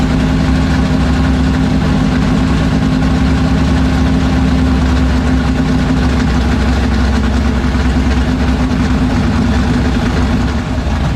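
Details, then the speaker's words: 1976 Chevrolet Vega drag car with new 427 V8, restarted after fixing no oil pressure (distributor not seated on oil pump): deep loud even lumpy idle, no knocks or ticks; great oil pressure, healthy. "everything sounds good all right vegas on the ground everything's good it's got great oil pressure"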